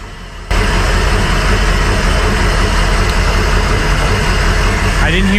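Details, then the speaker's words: Crusader 8.1 Captain's Choice marine engine, running rough and not making rpm, idle during coil-unplug cylinder drop test: uneven lumpy idle with low rumble; unplugging cylinder seven's coil changes nothing, so that cylinder is dead. Injector issue suspected. "when you get to cylinder number seven which we'll do here in a second we found that there was really no change"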